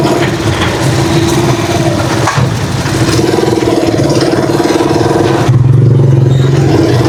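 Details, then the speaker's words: Trike engine just after a tune-up by a veteran mechanic, done to reduce engine noise; it now runs so quietly the engine is barely heard. Low, steady putter with an even firing beat, no knocks or rattles; normal idle. "Napaka-tining. Parang hindi ko na narinig yung andar, oh. Pagka minor lang yung tumutunog mga ka-best friend ay hindi ko narinig yung andar ng trike. Tahimik na siya."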